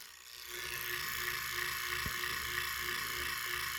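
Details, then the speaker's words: Leslie 147 bottom two-speed motor stack, before rebuild, fast motor running: loud uneven mechanical rattle and hiss over a faint hum; noisy worn motor, while the slow motor was only trying to spin. "you hear that we gonna knock that on out well it ain't gonna be sounding like this when i get finished with it oh this bad boy gonna be purring sounding quiet smooth but i want you to hear it now this is the before"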